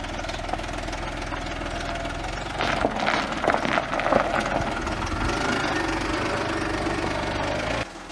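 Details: Audi A8 D3 engine after rebuild of a cylinder head with bent valves and broken tensioners; diesel-like clatter at idle that sharpens and grows busier when revved.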